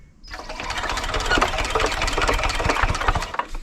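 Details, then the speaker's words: 1970s Hatz diesel compactor roller, hand cranked after bleeding air from the fuel line, using the compression release: slow uneven chuffing with strong compression puffs and a little smoke, but it never catches; cranks but won't start. "oh it's close i can see a little bit of smoke coming it wants to go"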